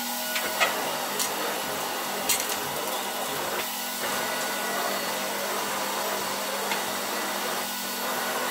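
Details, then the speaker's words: 1966 Alfa K2 (A7F) vacuum with an SK-5b motor, reassembled and run at slightly reduced voltage. A smooth, even, high-pitched rush holds steady with no grinding or surging. The motor is healthy and quiet. "Pięknie działający odkurzacz. Zobaczcie jak cichutko chodzi. On teraz działa na troszeczkę zmniejszonym napięciu, ale mimo wszystko bardzo równo, cicho, przyjemnie chodzi."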